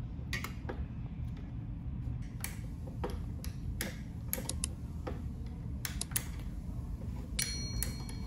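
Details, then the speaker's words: Limit switch turned by hand, live cable on the normally open terminal switching a lamp load: crisp, separate clicks at an uneven hand pace over a faint low hum; the switch snaps cleanly on and off, operating normally. "so guys our load is operating correctly the moment a moving object comes into contact with the limit switch then it's either open or closes the contact"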